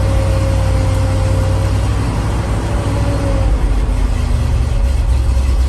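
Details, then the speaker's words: 1988 GMC 7000 boom truck, big-block 366 V8 with smog pumps removed, cold after sitting one to two months: deep heavy idle, even rumble about four beats a second, no knocks, without choke; normal cold idle. "all right so that's the low vital she's idling without any choke on right now"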